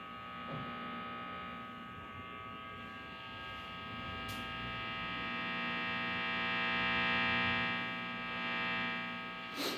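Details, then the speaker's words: Electrical interference buzz from LED lamps picked up by induction in a guitar's pickup held near the lamps, amplified through a guitar amp at high volume, mic in front of the amp; steady many-toned buzz with hiss, swelling and fading as the guitar moves. "Ele vai captar e vai amplificar esse ruído elétrico aqui. Ele tá só, entre aspas, só por indução. Ele tá só pela indução ali do captador próximo às lâmpadas."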